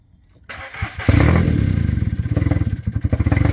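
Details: VW Polo, first start after a timing chain and oil pump change, in neutral with the clutch pressed: a brief crank, then it catches cleanly into a firm, even idle with no rattle or knock. A normal start.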